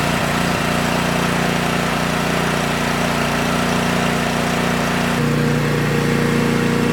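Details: Brand-new DR Power Pro XL30 field and brush mower started for the first time, before break-in: the small engine fires and settles into a steady, even idle without stumbling or misfires. A normal idle.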